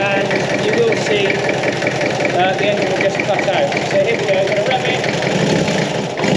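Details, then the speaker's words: Peugeot P4 (military G-Wagon) diesel with an uneven, lumpy, wandering idle and brief sag; air got into the fuel system after the new fuel supply was fitted. "so it's idling it's not very happy at the moment the problem is a certain amount of air that's got in the system since we put on the uh the new fuel supply"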